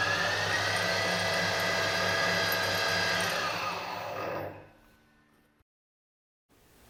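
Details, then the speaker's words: Harrison HS170 universal mill spindle at full speed, 1500 rpm, after motor bearings were replaced: clean steady whine for about four seconds, then smooth coast-down to silence; bearings quiet and healthy, normal spindle run. "to put in a clip right now of running the spindle at full speed 1500 RPM after I change the motor bearings"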